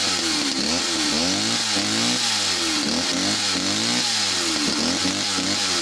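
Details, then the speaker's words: West German Stihl 041AV chainsaw: high buzzy two-stroke note hunting up and down, idle sagging and bogging as if over-fuelled after throttling; owner suspects main jet not seating or an inlet manifold leak. "she will start up might be a fast idol and then if you throttle it a couple of times the the idling will get heavier and bogged down as if she's over fueled all of a sudden"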